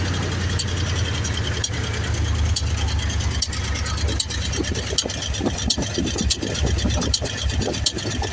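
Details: 1994 Ford F-150 302 EFI, desmogged, about 5k on fresh rebuild, Lunati Voodoo cam, roller rockers, headers: lumpy V8 idle with irregular sharp tick or pop about every second, strongest at air intake; owner suspects IACV, intake seal or bad gas.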